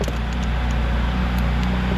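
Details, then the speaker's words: BMW 128i first start after intake manifold upgrade and engine refresh: smooth, even low idle hum with no ticking, knocking or stumble; normal idle, slight smoke possibly from valve seals. "Purrs like a kitten. She just fired right up. No issues."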